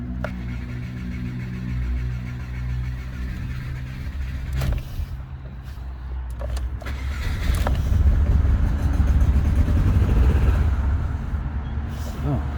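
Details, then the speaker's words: Engine catches and runs with an uneven, lumpy, surging beat after reassembly during diagnosis of sudden fault; running much worse than before, owner suspects a failed coil pack. "That's not very good. That's interesting. That's worse. A lot worse. That sounds like a failed coil pack now."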